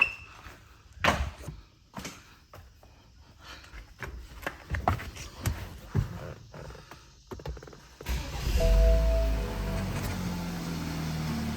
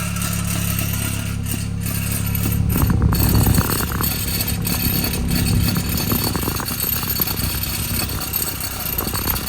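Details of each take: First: 2013 BMW 328i xDrive F30 started after replacing the dropped exhaust fixing bow: handling thuds, then an even idle with no exhaust rattle, confirming the fix. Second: 2013 BMW 328xi (F30), engine idling on the lift: a steady hum with an uneven metallic rattle at the rear from an exhaust mount missing its clip.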